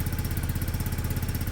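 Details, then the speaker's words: Peugeot Satelis barn-find scooter after immobiliser wiring work, just started; steady even low putter, no knocks or misses; sounds healthy, normal idle. "that sounds healthy you that side a try sounds great"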